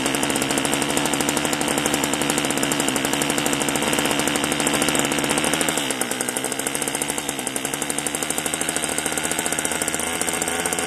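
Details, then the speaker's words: Homelite-made string trimmer (Homelite or Craftsman-branded), a marketplace find with compression and spark unknown, bottle-fed 2-cycle fuel into its intake: a fast, crackling two-stroke buzz dips slightly midway, then keeps firing steadily. It runs. "Yeah. She'll run. I mean, if I put fuel in the tank, she may take off and run for us."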